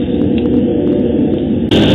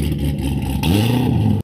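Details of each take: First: M52TU BMW E39 cold start at about 33°F, after 0W-40 oil and engine flush as a fix for a VANOS fault that stalled it twice at cold idle: engine catches and settles into a steady, even idle with no stumble or stall. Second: this is what a car sounds like an idle when it's been cammed to work it give out the most amount of power at higher [Music] you can hear the scalloping it's a galloping rough idle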